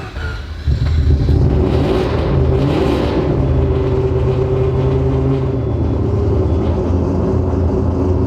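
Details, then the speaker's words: Rebuilt 20B three-rotor RX-7 engine at start-up: rough, uneven idle that stumbles and hesitates when revved; running super lean in spots, possibly a fuel injector sticking closed or something else. "oops she's running like super lean some spots you saw that happiness as I give it a little bit of a rev"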